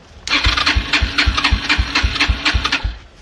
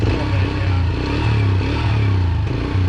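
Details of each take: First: Yamaha TT-R125 dirt bike, about 10 years in a barn: electric starter cranks steadily, pauses, cranks again without catching; no start because it ran out of fuel, with gas found leaking from the carburetor, whose bowl was then pulled. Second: Yamaha TT-R125 after about 10 years sitting, warmed up: low even single-cylinder putter holding a steady beat without stumbling, idling cleanly though smoking heavily.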